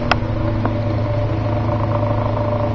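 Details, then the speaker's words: 1950s General Electric table fan, unused for 20 years in a dusty garage. A steady motor hum carries a buzzy rattle only when the fan is horizontal or facing up, quiet when pointed down. Owner suspects worn motor spacers. "it sounds like those spacers are about gone so when the fan is in a horizontal or kind of facing up position there's that spacer noise"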